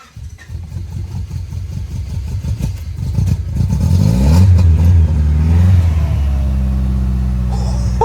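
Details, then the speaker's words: Honda Prelude (3rd gen), flooded on start-up after recovery: uneven cranking catches into ragged revs, then a sharp pop as it backfires out of the intake; motor then sounds happy. "It definitely just backfired out of the intake. 100%."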